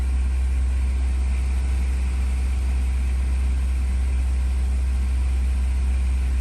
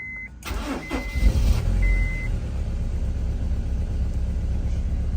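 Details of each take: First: Honda S2000 after exhaust manifold gasket and flange repair and cleared codes, before warm-up: steady even low idle rumble with no puffing or ticking from the manifold; exhaust leak gone, idle smoother and normal. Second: Honda S2000 at 176,000 miles starting after a warning chime and idling with an uneven, stumbling beat. It has a check engine light, three misfire codes and an air temp sensor code, and misfires badly.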